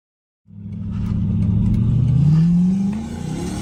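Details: 2014 RAM 1500 on highway test drive after replacing worn left front wheel bearing: engine note climbs smoothly under load, no growl or hum rising with road speed; bearing noise gone, quiet wheel bearings at speed.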